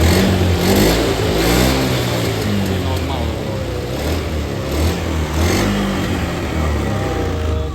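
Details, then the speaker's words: Honda Scoopy/Beat FI scooter after DIY home service and ECU reset, previously stuttering badly: pitch climbs and falls cleanly with each throttle blip, no hesitation or popping; revs freely, stutter gone. "Oke, ini normal, Guys. Jadi, kita berhasil, ya, Teman-teman. Jadi ini tidak berebet lagi, Teman-teman."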